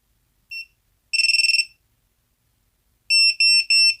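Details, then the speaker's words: Emax Tinyhawk 1S brushless whoop with a newly fitted buzzer (black negative, white positive), motors unplugged, powered up. Sharp chirps, a trill, then three long beeps; the buzzer works. "let's see if we hear the buzzer sound up when I apply some power here"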